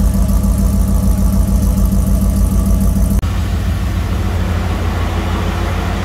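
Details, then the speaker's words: 2003 Corvette Z06 LS V8 after valve spring replacement, now driving again: a steady, even idle with a smooth low rumble and no valve train ticking. Normal idle. "So far the valve train sounds good. There's no issues there."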